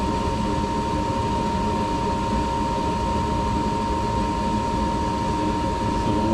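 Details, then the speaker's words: Furnace heater that previously made a loud screeching noise, now with a new inducer motor fitted and the flue pipe screwed in: steady even whir and constant high hum with no squeal or rattle, inducer running smoothly. "this inducer is spinning so fast that like it looks like it's not moving"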